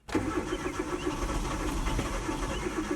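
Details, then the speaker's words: 2009 Hyundai Accent with intermittent long-crank hard start, runs fine once started, owner rules out battery and bad gas, plugs and O2 sensors already replaced, crank sensor suspected; starter churns steadily for three seconds but engine never fires. "It's not a battery issue either. It just simply doesn't want to fire over. You can feel it kind of rumbling."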